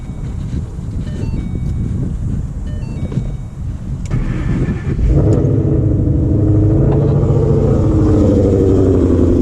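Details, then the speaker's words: 2011-14 Mustang GT V8, first start after a Boss 302 intake manifold, 47 lb E85 injectors and a new tune. The door chimes, then the engine cranks, catches and settles into a steady, even idle with no hiss, leaks or misfire. Normal idle. "everything's sounding good everything's sounding normal no leagues no nothing that I know of"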